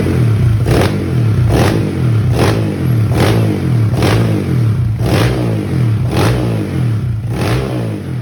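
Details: Honda ADV with bore-up "spek 65" daily-touring build, freshly assembled, head bolts torqued, custom-request cam, first check-sound run before ECU setting and dyno: crisp throttle blips about once a second over a steady single-cylinder beat, revving cleanly, healthy.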